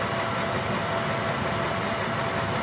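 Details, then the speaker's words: Gearlasso 8kW 12V/24V Chinese diesel heater in manual gear mode at program 10, running flat out and super hot: steady even fan and burner roar without pulsing, rattle or surging; normal full-output run. "That's super hot now. So that's running flat out now in terms of output power."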